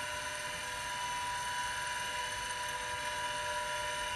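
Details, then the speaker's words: IBM XT 5160 10MB hard drive spinning on 12 V after a manual kickstart, drawing about 2.5 amps: constant high-pitched whir with a thin, rough edge; the dry spindle bearings do not sound happy. "Well, now we're at 2.5 amps. These bearings do not sound happy."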